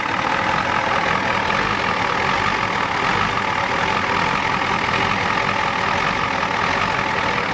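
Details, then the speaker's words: 1993 Ford F-250 XLT 7.3L IDI diesel, started after sitting about a year; warm uneven lumpy clatter with steady drone behind, running rough; owner suspects injection timing is off, unconfirmed. "up now and it's not running too good it's out of time hear it sounds funny it's out of time you guys agree you think it's out of time"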